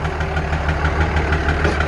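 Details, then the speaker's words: Dodge Ram 2500 5.9 Cummins idling, cover off, number one injector unplugged; steady deep clatter with knock still plain, barely quieter; owner suspects another injector also failed from heat; diesel engine knock. "not by much so I think I may have another injector gone bad as well from the heat"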